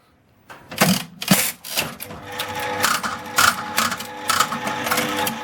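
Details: 1979 Aristocrat Esprit four-reel slot machine after repair, 20-cent coin inserted with the door closed: reels whir, then stop with firm, evenly spaced clunks. Normal reel spin and stop.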